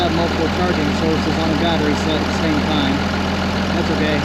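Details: 2005 Ram 2500 diesel idling after FASS lift pump and fuel line replacement, no leaks; steady, even low rumble without misses, knocks or hunting, running pretty even: healthy idle.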